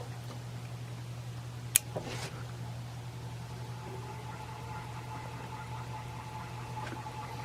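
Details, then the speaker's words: Antique Century ceiling fan, running without blades and oiled with synthetic oil, spins freely: steady, even, quiet low hum on high then low, then switched off, with no ticking, scraping or wobble; motor healthy. "And there it is, running on high. And there's low. And off."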